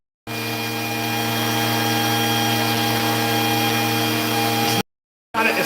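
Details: Vacuum with intermittent power-head cutout: constant motor hum, steady pitch, no cut-outs while the wand end is flexed, so that end of the wiring is sound.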